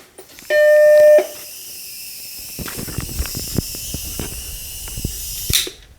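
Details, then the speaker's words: Macintosh Plus after a capacitor replacement, at power-up: a single clean half-second startup chime followed by faint clicks. It repeated a couple of times before the machine posted, which is normal. "that is a startup chime it i could hear it doing the same thing a couple more times but then it looks like it posted"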